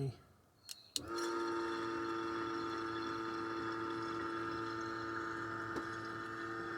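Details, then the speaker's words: Nissan S15 Silvia after a fuel system upgrade with Aeroflow 525 and 255 lph pumps and a Raceworks surge tank: a click, then a steady electric hum as the pump is run manually, with fuel heard returning from the surge tank. Normal fuel pump running. "you can actually hear fuel returning from the searching so that's really good really good to hear that"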